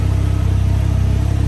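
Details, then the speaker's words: Can-Am Ryker at startup after a panel-rattle fix with cushions placed between the plastic panels: steady, even low engine throb with no plastic clatter; panels now quiet, normal running. "From where I located those cushions, seems to be doing pretty good on the vibration noise, so I'm happy with that."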